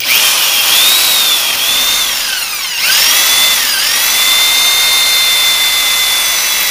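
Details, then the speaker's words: Freshly rebuilt engine being oil-primed with a drill through the distributor hole before first start: high drill whine sags as the pump loads, oil pressure reaching 50 then peaking around 65 psi; normal priming, good oil pressure. "you can hear the the drill drag down that oil pressure that 50 is that 50"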